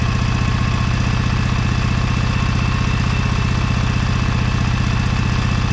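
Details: Briggs & Stratton Vanguard 23HP V-twin on a Little Wonder hedge trimmer, after primer bulb replacement and carburetor cleaning, choked, low throttle, brake on: steady, even low thump, about four beats a second, no misses. Normal clean idle.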